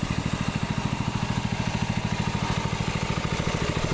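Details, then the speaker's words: Freshly reassembled water-seized Predator 6.5HP Honda-clone engine on a Baja Warrior minibike, break-in after clean and rebuild, sitting level so oil reaches everywhere: steady even single-cylinder idle, no misfires or knocking, really no smoke. Normal idle. "and obviously it's running. So you guys can see idling, there's really no smoke."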